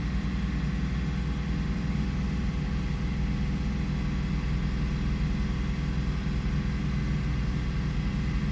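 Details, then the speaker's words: 2002 Toyota 4Runner with a start-stall complaint, warm in closed loop with perfect fuel trims: smooth, steady low idle with an even beat and no misses or hunting. "And it's looking really good. The fuel trims are are perfect. Oxygen sensor."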